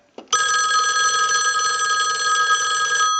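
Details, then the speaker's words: Western Electric 2500 desk telephone after repairs and conversion, final checkout with analyzer sending a ring cycle, heard through an amplified pickup: steady bright double-gong ring about three seconds, no buzzing; healthy ringer. "Now what we want to do is go ahead and use the analyzer and send a ring cycle like you were getting a call."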